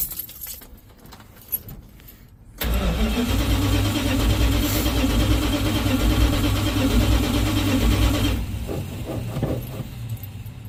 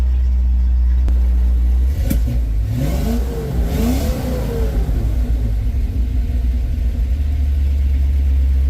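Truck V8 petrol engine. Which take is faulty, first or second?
first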